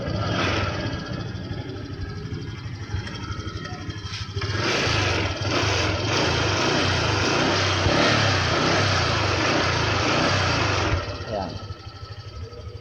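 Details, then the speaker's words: Honda Click 125 scooter that would not start, with lights flickering, because three switches had failed (brake light, sidestand). Now it runs on its own with a steady, even putter and no misses or knocks. Normal idle. "Kita niyo na umaandar na yung motor ano"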